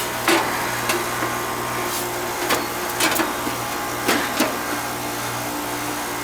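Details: Outside central AC condenser that would not start despite an untripped breaker, now running after a part was replaced: steady low hum from compressor and fan with a few handling knocks on top; unit running normally.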